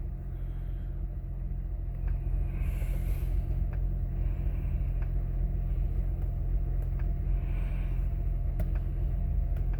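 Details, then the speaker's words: 2006 Honda Accord 3.0 V6 after fixing misfires on cylinders 5 and 6: the check engine light went out and there is no shaking now. Low, even idle rumble with no stumbles, rpm moving up and down as before; normal idle. "okay start right up the engine line went away rpms are now up and down up and down like they were before"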